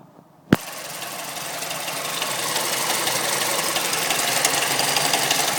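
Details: Mazda3 MPS / Mazdaspeed3 turbo petrol engine starting, then idling with a quick, light, uneven tick; no diesel-like cold-start sound; the owner suspects VVT, timing chain or tensioner, not confirmed.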